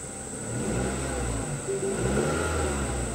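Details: 2005 Mazda 3 just started after fuel pump and tank replacement, about 56 psi fuel pressure on the gauge, mid-spec: steady low engine note climbing and easing with throttle, smooth and even with no misfire or stumble; healthy engine under revs.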